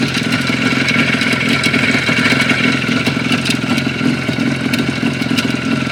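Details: Engine knock on a Jupiter 5 (Юпитер 5) two-stroke twin two weeks on: uneven metallic clatter over the exhaust buzz at idle and on blips, a knock somewhere in the bottom end, cause not yet found.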